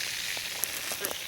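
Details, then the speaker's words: Pressurised water hissing steadily with faint crackles from a suspected second leak, likely a snapped-off pipe, in a main drip irrigation line being repaired with a compression coupling; leak location not yet confirmed. "I'm hearing I'm hearing another leak somewhere I can hear it it's in here somewhere"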